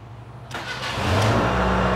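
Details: Proton Wira after its faulty ignition switch was replaced: brief crank, then the engine catches straight away and settles into an even, steady run; starts cleanly with no hesitation.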